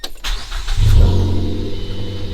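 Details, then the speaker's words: Mazda2 manual after an oil change or sitting: cranked first with throttle floored (no spark or fuel) to pressurize oil, then foot off throttle. Brief crank, catches cleanly within a second into a smooth low rumble; normal, lubricated start. "start it up fine, nice and lubricated."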